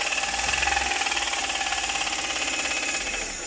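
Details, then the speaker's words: Latest-model turbo Multicab engine revved after running out of engine oil: hard, rapid metallic rod knock over harsh clatter. The connecting rod bearing is believed damaged and the engine is due for overhaul. "buksan natin on makina at o overhaul natin to dahil malaking problema ito sigurado ang connecting R bearing Sira na nito dahil Wala na ngang oil"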